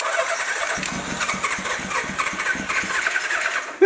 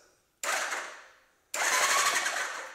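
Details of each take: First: Old Suzuki motorcycle, run on gas from a pickled tank with carbs still needing teardown: an uneven, stumbling putter that keeps faltering and cuts out while fuel sprays out; float height suspected misadjusted. Rough running. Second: Old Suzuki motorcycle, after cleaning corroded switches and a terminal with WD-40: two short bursts of bright whirring from the starter, each dying away quickly; starter engages and turns normally. Normal starter cranking.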